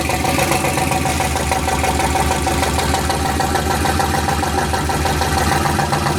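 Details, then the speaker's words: Rear-wheel-drive 1990 Ford Festiva with a turbo LS V8 that had seized, revved for a final burnout: heavy, rapid knocking over the rough V8. Oil gauge shows no pressure (owner suspects a clogged screen); bottom-end bearing damage suspected, not confirmed. "yeah you guys probably heard it Knocking pretty good this engine is Here for a Good Time not a long time"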